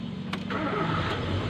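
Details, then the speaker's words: Nissan twin-cam 16-valve (Nissan GX) engine that would not stay running: short crank, catches straight away and settles to a steady 1000 rpm idle with no misses after the fault was fixed. "ayan oh 1000 RPM umikot po yung ating makina umaandar siya"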